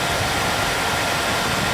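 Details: KTM dual sport motorcycle, newly installed switch-operated 2-wire 120mm PC case fan drawing air out of the radiator. A steady, even rush of air with no ticking, rubbing or wobble: the cooling fan spins freely and works properly.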